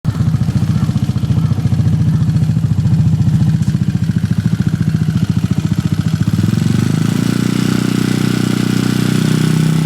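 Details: Honda Foresight scooter engine past 40,000 km, idle: light fast ticking keeping pace with the engine, sounding like valvetrain (tappet) tick; cause suspected, not confirmed.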